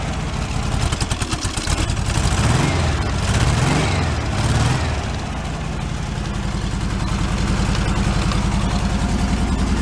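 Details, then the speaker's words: 1978/79 fuel-injected VW Super Beetle convertible, tired engine that smokes: lumpy, loping idle with missing pulses from a dead cylinder (number three); low compression on one cylinder. A wire off or failed is suspected. "it could have something just like white wire off or failed or something like that too but I do know I had a little compression on one cylinder"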